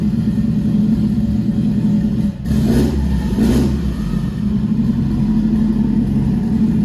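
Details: Nissan MR16 10k RPM build running a couple minutes after first start, good oil pressure, no leaks; flex fuel sensor stuck at 100%; smooth steady running, takes quick blips cleanly, settles to even idle; normal running.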